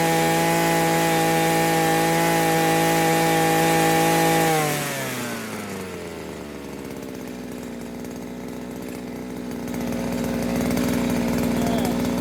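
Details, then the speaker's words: New Henghai 2.5 HP air-cooled Chinese outboard, first start out of water, warmed up: high steady scream at full throttle, then pitch drops smoothly back to idle; owner finds it a bit too fast but powerful; normal run. "Too fast, I think. But it's a pretty powerful little machine."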